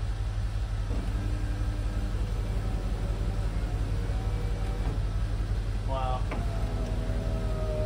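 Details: Land Rover Discovery 2 power window after cleaning the motor and fitting new 3D-printed window regulator rollers: the motor hums smoothly and evenly through the whole travel over a low engine rumble, with no binding or stutter; the window is working normally.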